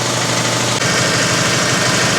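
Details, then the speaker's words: Air compressor after a tank swap and belt alignment (belt deflects about 1/2 inch, ~18 inches between axles), rated 6.3 CFM at 90 psi, filling at 120–125 psi toward a believed 150 psi cut-out; steady even chugging, no knocks or squeals; normal running. "we're up to 120 pounds, 125 I guess, and she's still chugging."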